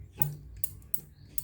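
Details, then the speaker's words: Yamaha NMAX original brake master cylinder lever: sharp, light clicks about four in a second and a half as the lever is pulled, a normal click, compared with the Xmax lever that makes no sound. "Kemudian, coba dengarkan suara kliknya. Pada Xmax, sepertinya tidak mengeluarkan suara. Ya. Tidak ada suara."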